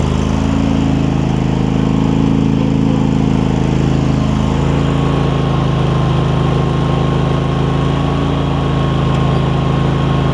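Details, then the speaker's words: Craftsman garden tractor Kohler CV20 twin, pre-warmed, after carb clean and idle adjustment, started without choke: steady even low thrum, no misses or stumbles; running healthy. "you can see it starts straight up without choking it or anything I had it warm already but when I L off the brake you'll hear it catch and it'll kick in a little bit"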